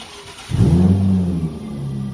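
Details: 2000 Nissan Maxima with an intermittent crank/no-start, believed to be a starter fault, after the noisy original starter was replaced: brief crank, then it catches immediately and settles to an even idle. A clean, healthy start.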